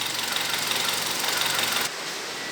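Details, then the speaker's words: Toyota Corolla (Brad) at idle, oil not even showing on the dipstick: fast, light, clattery ticking from the upper engine; top-end noise from low engine oil level. "Corolla fazendo barulho. Barulho nessa parte superior do motor."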